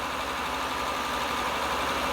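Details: 2000 Honda Accord 3.0L with code P0505, idle air control valve commanded fully closed: steady engine drone well above normal idle that never drops back; high idle speed, possibly a vacuum leak or internally leaking EGR valve.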